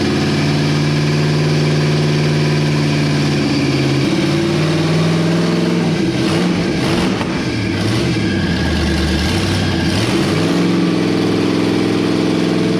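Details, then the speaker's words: 1962 Mercury V8 with new carburetor and newly rigged throttle linkage: deep, even burble with a steady low beat and a brief throttle blip midway, a nice, healthy settled idle. "that's a pretty nice idle"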